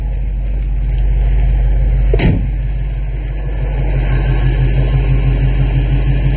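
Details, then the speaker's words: 46-year-old vehicle after radiator replacement, warm with heater on hot to bleed the heater core, no leaks: smooth, steady low idle rumble with no knocks, misses or whine; running normally again (loose alternator belt squeaks only when revved). "nothing's dripping anywhere she's looking nice sounds good again"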